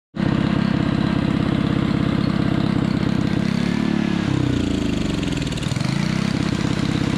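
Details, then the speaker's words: Honda water pump engine that runs only on choke: fires, revs sag and hunt twice before partly recovering, won't hold steady idle; owner suspects dirty fuel, plans carburetor clean and new air filter. "couldn't get it to run without using the choke so i'm just going to pull the carbie off give it a quick clean i reckon it's probably a dirty fuel"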